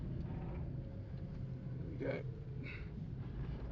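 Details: VW Polo 1.2 petrol/LPG driving on road: only steady road and engine rumble, no clunks, knocks or bangs; suspension sounds healthy.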